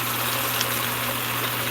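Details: Atlas Craftsman 10-inch lathe at its highest speed in the low range: steady even whir with a smooth low hum, no clatter or gear whine; quiet, healthy geartrain.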